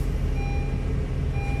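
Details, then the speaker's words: 2018 Honda HR-V push-button start, started after programming a new key fob: a steady low rumble with a faint thin tone over it, no knocks or misses; normal idle. "It's running. So it's a runner."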